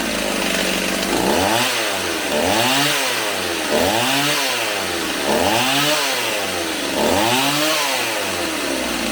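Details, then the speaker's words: Stihl 028 AV Super chainsaw, warmed up after carburetor rebuild, tuned with tachometer at spark plug; pitch rises and falls about every 1.5 s with soft throttle pickup; hesitant low-speed response, low-speed needle to be turned out slightly, target idle 2400–2700 rpm. "I'm probably going to have to turn the needle out just a little bit on the low speed so it's a little more crisp, and then I will hone in on the idle speed."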